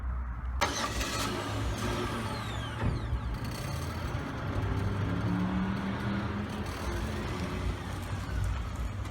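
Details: 2005 Pontiac G6 after replacing the fuel pump for a broken line leaking gas: the starter whirs briefly, then the engine catches cleanly and settles into a smooth, steady idle with no stumbling or misfire.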